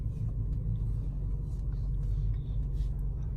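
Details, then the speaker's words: Honda CR-V after replacing front strut bump stops: steady engine rumble while steering, previous turning noise gone, no knock, creak or clunk, steering feels smoother. "acabou e digo mais eu tô sentindo mais estou sentindo o volante aqui mais macio para estressar tô gostando"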